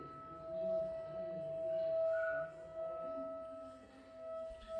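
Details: Household plumbing tap line: steady, pure hum-whistle holding one pitch, disturbing residents; air trapped in the water line makes the tap sing.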